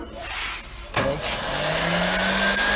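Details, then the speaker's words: Blender under repair, tested with the switch bypassed by joining its two wires: click, then a thin motor whine rising steadily in pitch as it spins up; blender motor running normally. "এই যে দেখছেন, তারপরে এই দেখুন ব্লেন্ডারটা এখন চলছে।"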